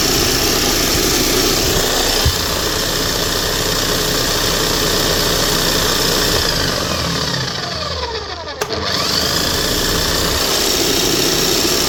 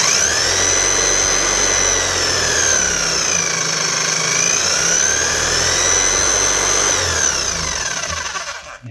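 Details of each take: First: Bosch hammer drill running after a bearing change and new brushes: a steady high motor whine with a rough, crackly splutter through it. Sparking at the armature is heard rather than seen; it otherwise runs smooth. Armature arcing. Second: Bosch GSH 5 CE hammer (2020 machine) after fitting a new set of brushes: smooth, steady high motor whine rising and falling cleanly with the speed control, no rattle or grind; slight sparking expected with new brushes.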